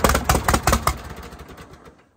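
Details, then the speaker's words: 1952 Case DC3 tractor, parked about 15 years with a tree grown through it; uneven, stumbling exhaust pulses with skipped beats, then fades and dies; misfiring, owner suspects choke partly on. "that's a fairly good L we're missing some here but we going to let it ride for a minute"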